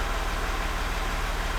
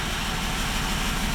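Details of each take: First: Range Rover L405 3.0 TDV6 diesel after a full rebuild for a knock with metal in the oil filter, first real-condition start in Park: low, even idle, smooth steady beat, no knocks or ticks; running healthy. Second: Range Rover L405 3.0 TDV6 after owner's engine rebuild, first idle with gearbox in neutral: loud steady deep rumble without pulsing from open, disconnected exhaust, not the engine, which sounds even.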